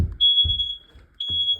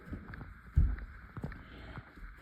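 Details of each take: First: Hallway smoke alarm during an August 2 test: two long piercing high beeps about a second apart over room knocks, still activated; smoke alarm sounding. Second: Upstairs alarm during an August 2 smoke and carbon monoxide alarm test: after handling clatter, one short shrill beep then four quick high chirps, not loud or echoing; alarm still works.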